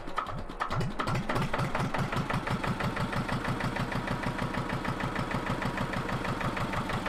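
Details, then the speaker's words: Engine of a 1970s Johnson's dumper being repaired, idling on a cold day before the gearbox was refitted and tested; steady chug of about three beats a second with no knocks or misses; normal idle. "Oh, just listen to that engine, doesn't it just chug along? Sounds beautiful."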